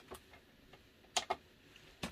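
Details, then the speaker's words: Adria Astella caravan fridge switched to gas: sharp, dry ticks in a quiet room as the igniter sparks normally before the flame lights and burns. "you'll hear it start ticking and then you should hear the burning of the flame when that lights up"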